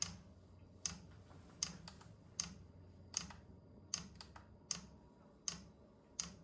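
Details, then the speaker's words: Vevor 8 kW Chinese diesel heater, first test run after install: sharp, evenly spaced dosing-pump clicks a bit over once a second over a quiet fan hum as it fires up; normal fuel pump ticking at startup. "A pretty steady click out of there now. There's a lot of air in that line, right?"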